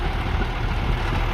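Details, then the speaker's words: 2001 International 4700 grapple truck diesel, low miles, after running over half an hour: steady, even low rumble at idle with no smoke, knocks or misses; normal diesel idle. "The motor sounds great. It's been running for over half an hour. No smoke, no knocks."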